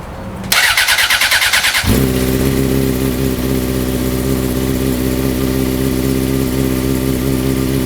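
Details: 2004 Honda CBR600RR with a newly installed custom full-system catless header, first start after sitting two weeks in cold weather: brief cranking, then a steady, deep, even idle with no ticking; sound is deeper and much louder at higher rpm. Normal cold start.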